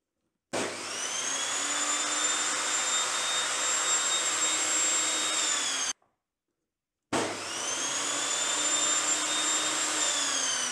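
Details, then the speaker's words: Evolution Rage 5-S table saw motor before any soft start module, original state: slams instantly from silence to a shrill, jet-like whine, twice, with no gentle ramp; harsh, scary start-up. "n when you start this saw it sounds like a jumbo jet and it's not a pleasant experience to hear this machine to start and sometimes it could be virtually just scary listening to it"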